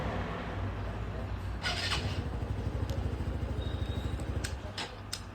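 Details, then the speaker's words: TVS Star Sport BS6 that stalled while riding, jerked and was hard to start, after replacing the faulty fuel pump motor: kick-starts easily, single cylinder settles into an even steady thump about three beats a second; normal start. "फिर से on करते हैं kick से start करते हैं हो ग start ये इतना आराम से हो ही नहीं रही थी स्टार्ट"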